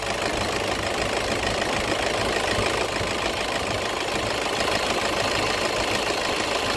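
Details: Toyota petrol engine in an AC compressor clutch magnet replacement job: steady, even idle with no misses, stumbles or clutch chatter; sounds healthy and settled.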